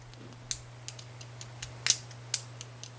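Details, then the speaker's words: Gretsch Electromatic G5120 bridge: light, irregular metallic ticks, several per second, as a saddle screw rattles in its slightly oversized or worn hole. The planned fix is springs inside the saddles to tension the screw. "oh it's actually rattling around in the hole actually moves in the hole so only way to keep that from moving around be to shove something in there"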